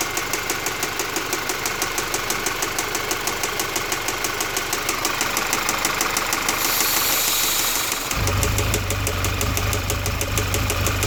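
A steady tapping at roughly three per second rides over the idle, even and persistent; a knock whose source still needs tracking down.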